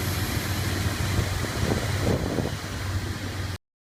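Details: 2001 Dodge Ram 1500 5.2 at idle: steady hiss that cuts out after about two seconds while rpm drops and the engine slightly bogs, then returns to normal; owner suspects an intermittent vacuum leak, hose unknown.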